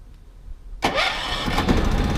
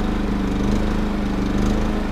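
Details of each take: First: Three-year-old RV generator, remote-started after running out of gas last time (auto-chokes, retries up to five times): starter cranks, catches, engine stumbles and surges unevenly then winds down; fuel-starved, hard start. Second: Three-year-old Champion RV generator, running after refuelling: steady, even engine drone with constant low hum, no knocks or surging; running smoothly and healthy.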